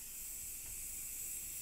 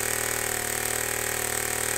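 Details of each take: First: Compressed air engine being pressurized: steady loud high-pitched hiss cut off sharply; air leaking from several places, mainly the connector, slightly from the cylinder top gasket needing tightening. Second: Homemade compressed air engine with a leak, before adding a throttle: rapid, even puffing at a steady pace with faint hiss of escaping air; runs smoothly.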